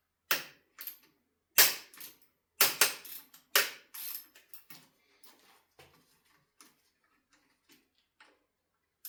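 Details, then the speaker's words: Ducati Monster 1100 during steering head bearing service, loosening the fork pinch bolts: sharp loud cracks and creaks in uneven bursts fading as each bolt turns; bolts were over-tightened and poorly lubricated. "This is the sound of over-tightened and poorly lubricated pinch bolts."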